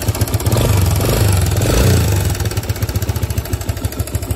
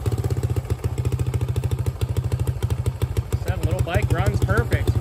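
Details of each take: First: 2005 Suzuki DR-Z125 air-cooled four-stroke idling after adjusting spring-loaded cam chain tensioner: light quick ticking, slight top-end clatter remaining but much quieter than before. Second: 2005 Suzuki DR-Z125 air-cooled four-stroke idling just after adjusting the spring-loaded cam chain tensioner: single ticking about three beats per second over a steady thumping idle; cam chain clatter reduced but still present.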